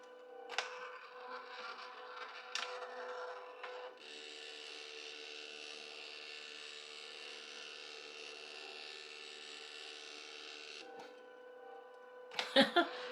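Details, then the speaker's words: Casio Loopy with Magical Shop video-capture add-on, after repair: steady even buzzing hiss for about seven seconds as it prints a sticker of a captured image, then stops cleanly; normal printer operation. "now i don't know if this casio loopy actually has good printing paper so we'll just see what happens while it makes it but you can hear it going"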